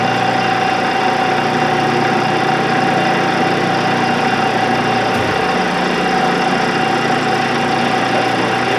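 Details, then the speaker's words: 16-inch Axelson motor on a second start after its leads were identified and it was found in gear: steady, even hum with a clean constant tone, no jerking or surging. Runs smoothly and sounds good. "Yeah, it even sounds good."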